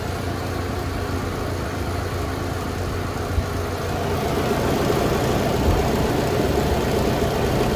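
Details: Loren Cook restroom exhaust fan on its own switch, starting up quickly to a loud, powerful roar with a fast loose rattle; grille needs maintenance and may have been hit by something, likely source of the rattle.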